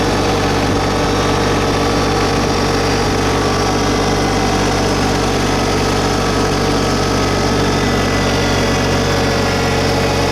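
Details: New 2022 LS MT125 tractor with about half an hour on it, diesel idle brought up a little with loader and mower deck raised. Steady clatter with even, unchanging beat, no knocks or misses; healthy normal idle.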